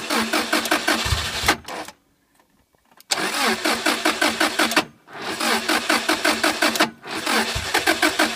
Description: My impreza wont start, it gets gas and i have a spark. New ignition colis.